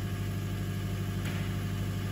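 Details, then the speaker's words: Skoda Superb after EGR valve replacement, running the basic-setting EGR adaptation in neutral: revs rise to about 2000 rpm, steady even hum with no knocks or misses; normal raised idle during relearn. "her engine revs are going up a slight little bit you can see we our 2,000 RPM you can probably hear it as well it's running through the procedure or process or whatever you want to call"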